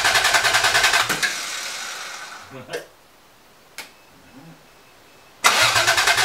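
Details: 1980 Toyota Supra barn find, unstarted for years, fresh battery fitted: two bursts of even starter cranking, around three revs a second, with no firing at all. Cranks, no start; owner suspects the fuel pump.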